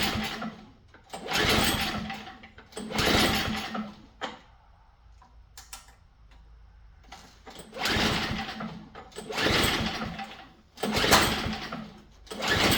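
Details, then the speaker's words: MTD snow blower with small flathead engine, oil present and bright spark but no gas in tank, choke on and primed: four two-second cranking bursts turning freely but never catching; fuel starvation, ran dry in storage or leaks. "Let's check for gas. No gas. Well, that means two things. They ran it out of gas before they stored it, or they it leaks."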